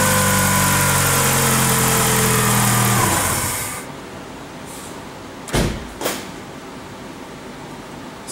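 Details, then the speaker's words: 2004 Chrysler Sebring 2.4 DOHC after replacing the timing belt, water pump, pulleys, idler and tensioner before 90K miles: engine settles straight into a smooth, even idle with a steady hum and no knocks or squeals, then shuts off cleanly. "guess it's safe to say that everything was installed correctly. Everything seems to be working perfectly."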